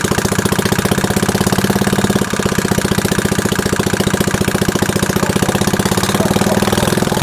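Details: First start attempt on a worn early-1960s Suffolk 75cc lawnmower engine: fast, harsh, clattery beat with uneven firing and metallic rattle, rough running; owner doubts how long the inlet valve will last.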